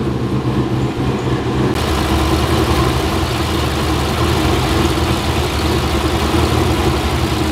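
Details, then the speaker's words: LS-swapped GQ Nissan Patrol with 6L80e, idle misfire on cylinder 6: lumpy idle with irregular stumble; swapping injector plugs showed the fault is in the injector wiring or number six injector plug wiring. "all right so a nice little exercise uh proved that it is an issue with the injector wiring or the wiring to number six injector plug"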